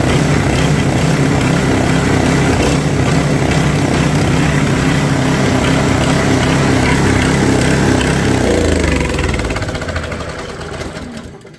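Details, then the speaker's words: Snowblower whose auger wasn't engaging or throwing snow. After an adjustment (some free play remains), the small single-cylinder engine runs strong and steady with the auger turning, no slipping or surging, then winds down smoothly. An oil change is still planned. "And as you can hear, runs quite well, but I am going to service it, drain the oil, put fresh oil in it as well."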